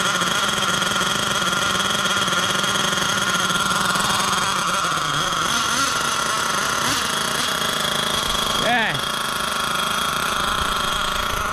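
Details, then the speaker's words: Losi LST XXL nitro truck, first run since purchase, just fired and still cold: high, buzzy idle with thin, slightly hunting note and quick blips; sounds lean on the low-speed needle, to be richened. "she fired right up good news as always uh it does sound a little lean on the low uh GNA let it warm up for a little second I'll probably riching up that needle"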